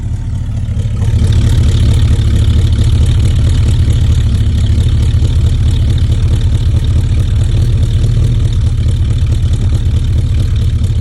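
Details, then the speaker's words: Holden HQ ute V8 running after alternator work, revived after 20 years: deep, even, steady burble with no knocks, misses or rattles; runs clean and healthy. "Damn it, it runs so good."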